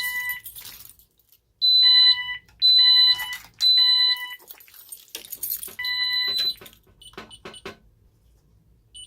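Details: Ademco 6128 alarm keypad testing an initiating device on the fire zone: three long, high-pitched beeps about a second each with short gaps, then choppier chirps as the panel signals a fire zone alarm.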